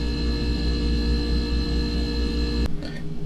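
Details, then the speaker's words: About 15-year-old fridge after replacing the compressor relay, run 5-6 minutes: steady low hum with constant tone, then a click as it cycles; blows cold air, compressor running normally after repair. "Alright, so I let it run for about 5-6 minutes now. So let me see here. Yeah, it blows cold air. It's working."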